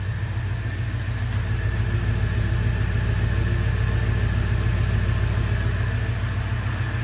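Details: 1977 Ford F-100 Custom, heard at the rear tailpipe at idle: quiet, even low burble, not loud, steady pulses with no popping or missing beats; normal exhaust note.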